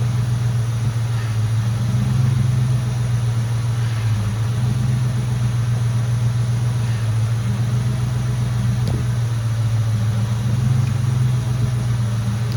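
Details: Mustang GT after fixing a power steering air bubble and bypassing the heater core: steady, smooth idle with no pump whine or groan. Power steering noise basically gone; Hydro Boost brakes checked.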